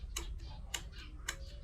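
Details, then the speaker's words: New shift control solenoid from a Hyundai Starex automatic transmission valve body, tested for low power complaint: crisp, evenly spaced clicks about twice a second; solenoid working properly. "Did you hear the sound? The clicking sound. Okay. So this is the new ship control solenoid. It's obviously working properly."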